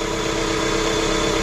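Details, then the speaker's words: Smooth, even air rush and steady motor tone from the aftermarket radiator cooling fan of a 2016 Dodge ProMaster City with AC on, running normally after swapped fan connectors that caused overheating were corrected. "let's keep an eye on the fan bring the light over here all right keep an ey of f usually takes a few minutes to kick in so there we go working perfect perfect perfect nice"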